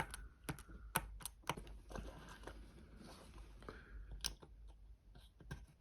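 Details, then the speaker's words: John Deere skid steer parking brake rocker switch AT405202 after DIY repair of broken plastic piece: crisp, distinct clicks through each position with firm detents, no mushy travel; switch works properly. "I think you fixed it that's how it's supposed to sound ladies and gentlemen it's supposed to click here to turn the parking brake on and then right there and then one more"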